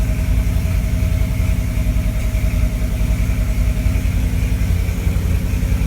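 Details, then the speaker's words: 1963 Corvette Split Window, first start since 1981, after timing advance and carburetor mixture adjustment: after shutoff it keeps running on with low lumpy thumping, three to four beats a second, dieseling, once even running backwards. "shut it off and it starts diesel in like macron so it's trying to be like it's cousin the Detroit Diesel"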